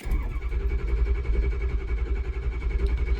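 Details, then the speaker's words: 2006 Ford F-350 6.0 Powerstroke diesel, cold start at about 46°F after a hot no-start: slow steady cranking that never fires; low injection control pressure, owner suspects a blown O-ring, later confirmed. "See the pressure? It's not quite coming up to fire."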